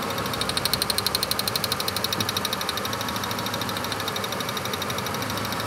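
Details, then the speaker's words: Ford F-150 with a waste spark ignition after misfire repair: an even V8 idle with no stumble and a crisp ticking about two to three times a second; the constant misfire is gone. "You hear how we've corrected the misfire. You can hear it. I don't think anybody else can hear it, but that constant miss is now gone."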